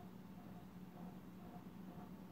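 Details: Casablanca Panama ceiling fan, made October 2000, on speed three: quiet steady low hum with faint higher whine; fan motor noisy, cause unclear.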